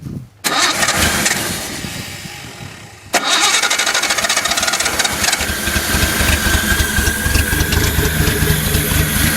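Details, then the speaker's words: 1972 Datsun 240Z inline six, being revived after starter replacement, fuel poured into carbs: cranks, catches, uneven lumpy idle; running on about three cylinders, old coil and timing suspected, not confirmed. "Doesn't take very much for these carbs. It's It's really only running three cylinders per inline six. Too bad."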